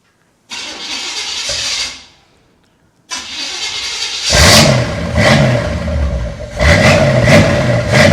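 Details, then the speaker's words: C3 Corvette barn-find V8 with new plug wires: brief crank, then it catches cleanly and pulls through a few throttle blips with no miss, knock or stumble; much better than its first start. "Much, much better than what it first sounded like. Well, I'll tell you what, there you have it. It runs. It runs."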